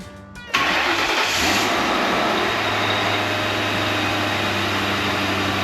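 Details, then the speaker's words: 2004 Mercury Grand Marquis with 64,000 miles, first start in about 8 to 10 years after a new fuel pump install; brief cranking, then it catches cleanly and settles into a steady, even idle. Normal start. "it's truly the first time it's ran in about 8 to 10 years"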